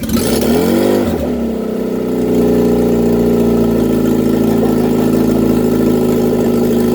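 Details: Reliant Regal Supervan 3 engine on the workbench, running for the first time after a full rebuild, with a bit of choke and a hand on the throttle. A throttle blip, then a steady, even idle with a clean beat; normal idle and revving.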